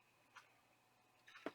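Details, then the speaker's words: Compaq Presario 1060 retro laptop at first power-on while booting to Windows: a few faint, sharp ticks at uneven intervals over near silence, the hard drive clicking away as it seeks. "but I can hear the hard drive clicking away"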